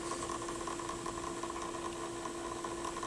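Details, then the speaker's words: Pioneer PL-707 turntable during belt service and regreasing: steady even hum with higher ringing tone, unchanged with belt off, source not found; drive motor noise suspected, unconfirmed. "yeah I don't know where that I can't figure out where that noise is coming from huh weird"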